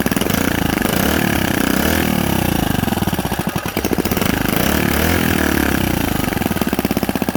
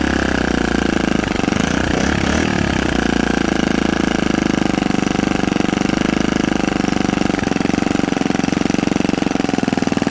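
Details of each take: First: Predator 79cc single-cylinder minibike engine, first start after fitting a carburetor spacer and setting the throttle linkage, choke on. It buzzes along, speed dipping and rising a little before steadying; normal running. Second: Predator 79cc single-cylinder minibike engine, governor removed, 22 lb springs, fresh valve lash, new carburetor spacer and linkage, first start on choke: a fast, rattly, surging uneven beat; rough running, and the carb still needs tuning.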